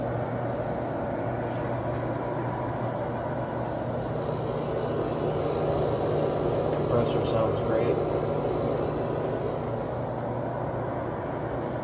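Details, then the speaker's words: Fedders 7500 BTU window air conditioner, cleaned, Samsung fan motor with oiled bearings now much quieter: compressor evened out, smooth steady low drone with fan hiss, no rattles or knocks; normal running. "okay the compressor is pretty much evened out on this thing so this thing this thing's really good go ahead and turn it off that fan motor is so much quieter than it was when I got it"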